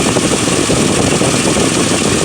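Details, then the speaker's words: Mitsubishi Montero that previously would not idle and shook as if misfiring now idles on its own after work: smooth, even idle with steady rushy hum, no stumbles or misses, engine no longer shaking; an exhaust leak is also audible. "guys any bad that is not bad this is some major progress I'm really excited"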